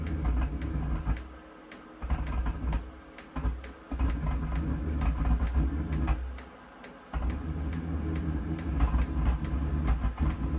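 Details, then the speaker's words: New Vevor XMZ D2 2 kW diesel heater on startup at 13°C, set to 19°C: after glow plug and fuel pump start, a low burner roar cuts in and out with sharp pops as it backfires smoke through the combustion intake and flames out. "so it was actually backfiring a little bit of smoke through the intake there through the combustion intake and it just flamed out again"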